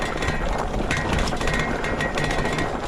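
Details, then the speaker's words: Hanevear H100 dual-motor e-bike coasting downhill over bumps: loose, irregular metallic chattering from the front. This is the steel fender rattling, likely with the headlight bouncing against it. "suspension seems pretty good you can hear that steel Fender rattling up front though honestly I prefer plastic fenders because you get less noise and less rattle"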